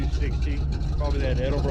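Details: 1986 Jeep CJ7 V8 with manual choke just switched off while warming (small fuel leak noted): deep, choppy idle with uneven lope over a steady low rumble; healthy, sounds like a fairly big cam.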